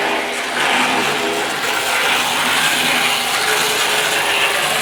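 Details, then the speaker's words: Hornby R504 Inter-City Express set model train from 1973: fine steady buzzing gear chatter with a light ratcheting edge, no harsh grinding; noise changes as it speeds up; the drive sounds normal. "Yeah, you'll notice that the noise does change when it speeds up."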